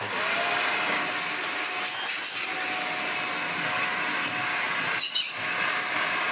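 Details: Shark NV801 Lift Away vacuum, tested before full cleaning. Smooth, constant high motor whine with a steady airflow rush and no rattles or labouring. Normal running.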